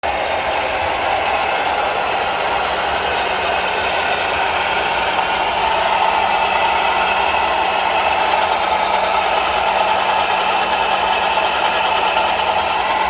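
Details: Ford Focus 2 with 2.0 engine running: steady metallic knocking, rattling and ringing, even and unchanging, from the air conditioning compressor clutch; AC compressor clutch knocking.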